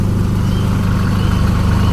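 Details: 2012–13 Chevrolet Colorado diesel at idle with white smoke, warning light and knocking, codes on all four injectors: heavy rumble with an uneven, lumpy misfiring beat pointing to faulty injectors.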